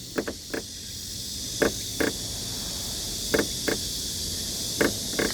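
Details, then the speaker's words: Kia K8 new-car inspection: pressing the top of the trunk lid gives short dry paired creaks about every 1.5 seconds over faint hiss; common K8 trunk lid/trim creak, not present on K5; cause not confirmed. "지금 공통적으로 나오는 게 아마 이걸 잘 모르실 것 같은데 소리 잘 들어보세요 트렁크 상단을 누르면"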